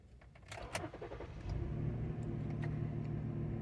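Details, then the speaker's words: 2014 Ford Edge 3.5 V6 AWD after fuel pump replacement, with the system primed by key-on: brief cranking, fires within about a second and settles to a smooth even idle, no check engine lights; normal start. "started right up no check engine lights running really smooth"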